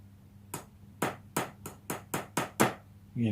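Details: Squier Stratocaster after simple maintenance, plugged into an old refurbished amp, testing each pickup via five-way switch: seven sharp taps clean and even, no crackle, dropout or scratchy pots; pickups working fine.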